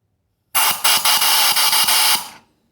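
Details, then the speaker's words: 1977 VW Brasília replacement cylinder head, bench leak test: a sharp air hiss with rapid bubbling pops for about two seconds as compressed air escapes past the valve seats. Water stops but it still leaks; the seats need lapping. "mesmo assim a água para mas ainda está vazando"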